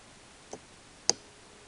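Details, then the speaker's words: Animatronic eye drive with a 6 V motor on a relay, supply below the motor's stall voltage: three sharp dry relay clicks with no motor hum, the relay switches but the motor stays stalled. "but right now if if I start it you can see the relay kicks in of course but the eyes are not going I don't hear the motor"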